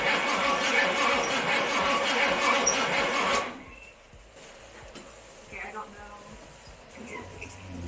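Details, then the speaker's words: Firebird being started for the first time in years, cranked to draw fuel back up: about three seconds of steady cranking at roughly four beats a second, no firing, then it stops. Extended cranking to prime fuel. "it's got a crank for a little bit just it cuz gotta get fuel back up yeah give it like ten seconds and then we'll stop"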